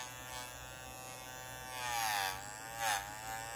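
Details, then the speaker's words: Energizer USB-C laptop power pack switched on: buzzy, rasping whine whose pitch dips unevenly over a faint hum. Cooling fan noise; owner suspects something touching the fan blades, not confirmed. "i think there's something touching the blades of the cooling fan because when you turn it on you can hear that this is the cooling fans over here"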